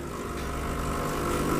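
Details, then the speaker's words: Milesto espresso machine priming: with the boiler empty, the brew pump draws water in, its steady buzzing hum growing louder and more even over about 10–15 s until the water is pulled through; normal pump priming. "Kita tarik brewingnya. Nanti ada air lewat nih. Nah, ini boilernya kosong dulu nih."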